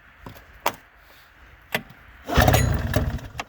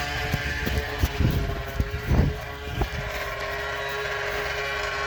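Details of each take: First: 2000 Arctic Cat ZL440 two-stroke, start attempts, straight pipe with no muffler, tried at half throttle with choke and at full throttle without; scattered clicks, then ragged cranking sputters that never catch; engine flooded. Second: 2000 Arctic Cat ZL440 two-stroke snowmobile engine during a rebuild for a crankshaft that split in half, now running after being flooded; a crisp buzzy note settles to a steady high idle with nothing rattling or missing: normal running.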